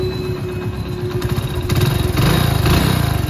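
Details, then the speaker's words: Hero single-cylinder motorcycle, warm after full service, idling then blipped: dull hollow knock on each firing stroke. Only piston noise remains, needs half-engine work to fix; owner says it is quieter when cold. Piston slap. "अब ना खाली piston की आवाज रह गई है आगे ये तो भाई ठीक नहीं होगा"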